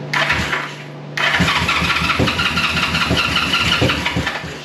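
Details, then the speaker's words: 1973 Honda CB350G on first dead-cold start after a Mikuni VM28 carb kit install, fed from an auxiliary tank: steady starter churning with compression pulses, never catching, as fuel hadn't yet reached the carburettors; spark confirmed, it later started normally. "it took a little while to get fuel to it once i did it goes ahead and starts as it should"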